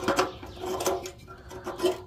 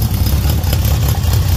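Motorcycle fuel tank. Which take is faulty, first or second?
first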